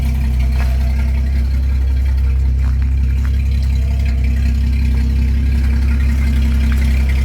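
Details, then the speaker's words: 1983 Dodge D150 V8 after a no-start blamed on the rotor, suspected thrown into the distributor cap; loud, even idle with a deep steady burble, no stumbles; exhaust open with no pipe connected and a ticking exhaust leak noted nearby; running well. "Damn, she's running good."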